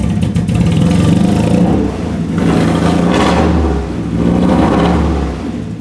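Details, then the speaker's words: Uneven, lumpy revving and idle from a 30-year-old Nissan 240SX that had not been driving; runs terribly but runs, good pressure, no obvious exhaust leak; new distributor cap and rotor pending. "Yeah, it's it's running terribly, but it is running."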